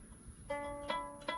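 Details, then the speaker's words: Lyre string plucked three times with a thin rattly buzz over the tone: string buzz at the bridge, usually from the string not seated properly or the bridge/nut slot not deep or wide enough, vibrating against its corner. "hear that that that ear unpleasant to the ear nine out of 10 times what's causing that is that the the strings not seated properly in the bridge or the hole in the bridge uh in the nut the bridge is not deep enough or wide enough and vibrating against the corner of it"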